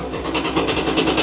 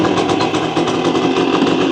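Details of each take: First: 1965 Suzuki K10 two-stroke, revived after sitting 15 years, just started on two kicks with the choke, which sounded rich, then choke off: crisp, even crackle idling a touch high and not yet settled. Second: 1965 Suzuki K10 two-stroke, revived after sitting 15 years, idling to warm up and free clutch plates stuck from sitting: a fast, crackly buzz with a steady tone, running evenly.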